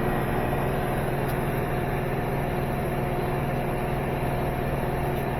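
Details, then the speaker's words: Samsung front-load washer after replacing worn shock absorbers, which caused off-balance and poor water extraction; full-speed test spin throwing water out, steady, even high-speed drum roar with no banging or thumping. Normal high-speed spin. "But now it's spinning wide open. Very smooth."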